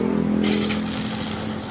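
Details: NS126FI scooter after repairing its noisy starter (crushed needle bearing in the one-way starter clutch replaced, regreased, gasket fitted): engine catches and settles into a steady hum with no grinding or clatter.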